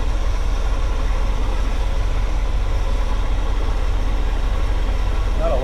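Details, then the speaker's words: 1979 GMC Vandura G25 V8 with Edelbrock carburetor idling a little low at about 13–14 inches of vacuum, deep slow lazy pulse; low vacuum points to retarded ignition timing, and adjusting timing should help. "It's about 13 14 inches of vacuum. Idles a little low. This is where adjusting your timing will help that out."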